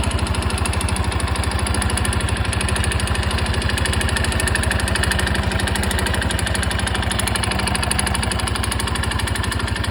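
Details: Honda Super Cub 110 JA07 single-cylinder engine at idle: fast slightly uneven clatter throughout; abnormal engine noise, cause unclear.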